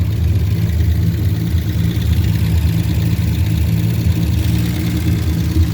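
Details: 1949 Studebaker with customer hard-start complaint, started after a few throttle pumps; steady even low rumble at idle with no misses, knocks or hunting; carbureted engine running smoothly.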